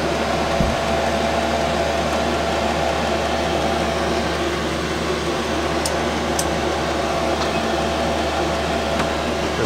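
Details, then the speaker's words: 5KW Chinese diesel air parking heater after about one hour running, 12V lead-acid battery, 8'x14' shed, 25F outside, exhaust about 165F, no smoke: smooth constant fan whoosh with low steady hum, no pulsing, popping or rattles; normal running. "he has now been on for a total of one hour in one minute which includes the time the ten minutes it took for to prime during the initial startup earlier everything is working flawlessly I haven't seen any sign of smoke whatsoever"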